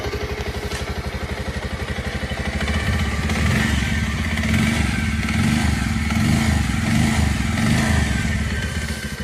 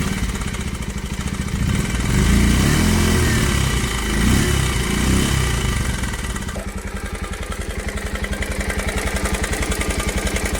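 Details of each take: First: Bajaj Pulsar BS6 single after its noisy timing chain (previously a clattering "kat kat" sound) was replaced and the bike reassembled: a steady putter that rises and falls smoothly under light revs, with no chain rattle. Normal idle and revving. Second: Bajaj Pulsar single-cylinder bike idling in neutral after self-start: loud sharp metallic "kat kat" ticking over each beat from a badly worn, slack timing chain, which is to be replaced.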